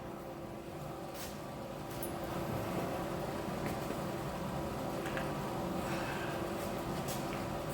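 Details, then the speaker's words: 1948 Chevy truck engine, not run for 30 years, diesel fuel in the oil pan, after readjusting points that stopped opening and closing: steady even rumble without misfire; runs normally, doesn't sound that bad. "doesn't sound that bad"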